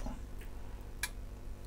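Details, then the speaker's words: Panasonic SA-BT330 Blu-ray home theatre with F76 error, power button pressed after a forced shutdown: a couple of sharp relay clicks as the unit cycles on and off; power supply fault suspected. "and that's here we go this is when it's as problems turns off not sure we can see that on there it is turning on and off"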